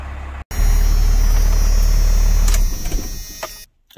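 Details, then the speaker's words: First-gen Cummins diesel truck after PCM repair replacing three capacitors for a no-charge fault: warming-up idle, low clatter with steady even beat about 220 a minute, no misses; voltage alternates between charging and drawing down as grid heaters cycle on and off. "the truck's still warming up going between a charging voltage and then drawing down when the grid heaters are on so good hearers are drawn drawing on now and then they're switching off"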